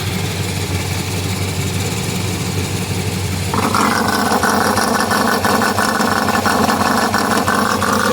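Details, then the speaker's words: Exhaust leak at a bad air-injection check valve on a Chrysler New Yorker 360 V8: idle with a sharp, hissy puffing pulsing with firing, fixed by capping the line with a half-inch screw cap, much quieter after. "this guy was the problem it's got bad checkup inside there's something that's awful noisy and here's the solution nice half inch screw cap and we are much quieter now"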